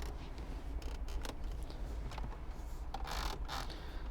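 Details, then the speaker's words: New Renault Kadjar 1.2 petrol 130 hp, stationary with engine off, pressing dashboard panels: quiet cabin with short dry creaks and squeaks; plastic trim loose and rubbing. "and you might hear these kind of creaks and squeaks and this is a new car"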